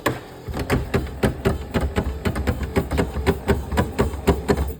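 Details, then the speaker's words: 1996 Corvette C4 headlight opening after battery reconnect: motor keeps spinning with sharp clicks about twice a second instead of stopping; stripped plastic drive gear or pellets in the headlight motor suspected. "You can see how the motor kept spinning and that clicking in there. That tells me that the drive gear is in there."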